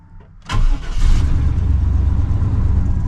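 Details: 1996-2000 GM Vortec (GMT400) truck after fixing P1345 without a scanner by repositioning the oil pump shaft, codes cleared and battery disconnected 15 minutes: brief crank catches quickly, smooth steady low idle, no misfire; then 0 DTCs.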